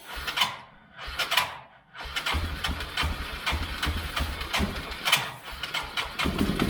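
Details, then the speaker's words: 1999 Yamaha Bear Tracker 250 ATV, sat a while with suspected bad gas: single-cylinder idle drops out and picks back up with sputtering gaps, bogging and not holding idle; carb bowl to be pulled, fuel drained and carb cleaned. "It bogs, like it idles for a minute, and then it bogs, and then it idles again. It ain't gonna run. It ain't gonna run like that."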